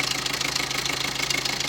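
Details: Maruti Suzuki Swift diesel engine at idle: fast, even metallic clatter from a rattling timing chain rides on top of the diesel idle.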